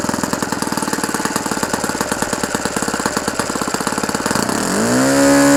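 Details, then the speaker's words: OS FS-120 Surpass 20 cc four-stroke methanol model engine, restored with new ring, running in on 15x8 propeller, idle needle just leaned; quick even popping idle sitting a bit fast, then revs climb smoothly; idle slightly high. "Super. Il commence à avoir de la patate. Bon, le ralenti il est encore élevé."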